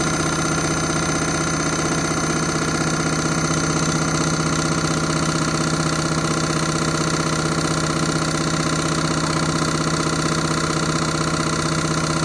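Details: Candy Rapid 30 Mini Load washing machine final spin: loud steady drone with a regular thump about twice a second under a hum, a noisy spin cycle.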